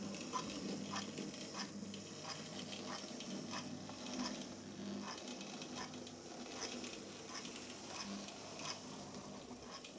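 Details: Repaired DC analog A3 6039 "Sandwich" locomotive from Talisman train pack, after fixing pickups and tender wire: low steady motor hum with light ticking over rail joints, running smoothly.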